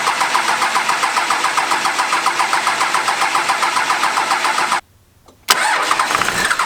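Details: 12-valve Cummins just started after modifications (delivery valves, governor springs, pusher system, 120 hp injectors): steady, even diesel clatter at fast idle, about 220 beats a minute, one brief cutout midway; running smoothly.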